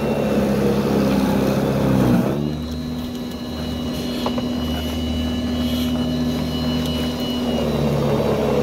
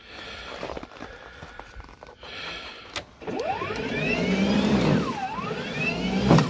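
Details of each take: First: Ryobi battery snow blower on a fully charged battery, after tie-wrapping wires away from the metal pole: steady electric motor hum with the auger churning powdery snow, holding speed without bogging or cutting out; static-caused stalling fixed. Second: Ryobi battery snow blower on a fully charged battery in cold, dry weather, before repair: motor whine sags sharply whenever it meets even light snow, then recovers; static shock felt in the handle, and discharge onto the wiring was causing the slowdowns and stalls.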